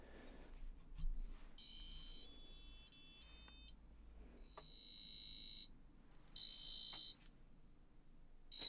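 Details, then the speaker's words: 1978 Mattel Battlestar Galactica electronic game after replacing a capacitor and the battery snap: clean bright high-pitched beeps and warbles in short bursts with no background hiss, louder and brighter than before; sound now works properly. "Basically, it seems like it's a lot louder, a bit brighter, and also it's not making a weird kind of background hissing noise either."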